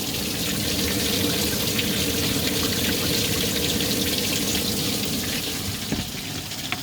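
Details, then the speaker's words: DIY bakki shower pond filter of three 51-litre boxes, media only in bottom tray, spray bar giving good coverage: constant hissy, bright splashing of water into empty trays; loud because no media in there yet. "she's running a bit noisy at the moment because there's no media in there"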